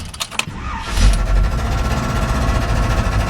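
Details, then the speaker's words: 1971 Chevy C10 with good oil pressure: it starts, then settles into a loud, rough, rapid metallic clatter at idle from the flex plate area. Broken or loose torque converter bolts let the flex plate flex and strike its dust cover. "we got good oil pressure and everything sounds like it's coming from the flex plate area"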